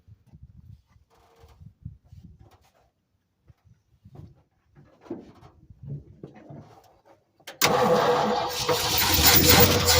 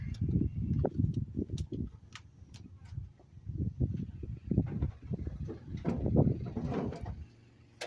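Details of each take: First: Late-1960s/circa-1970 Ford F-600 fuel tanker truck parked 25 years, new truck battery and a little gas poured in: engine catches at once and settles into a strong, even run with no misses; normal start and run. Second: Late-1960s Ford F-600 fuel truck, first start after 25 years parked. Rough chugging surges and fades, then dies because the tank had no gas; a stall from fuel starvation.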